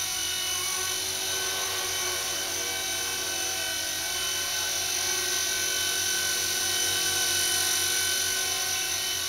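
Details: Blade mCP X RC helicopter after Z8RC boom truss mod, previously vibrating badly and unable to hover steadily: normal smooth hover with steady high-pitched electric whine and even, gentle rotor flutter.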